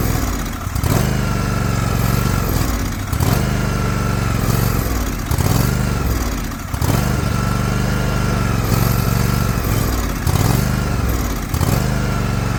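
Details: Liquid-cooled Kawasaki twin, John Deere LX178 mower, air cleaner refitted, run in rain to pick up fuel: uneven run sagging and recovering about every two seconds; fuel issue, carburetor flooding, fuel filter change planned.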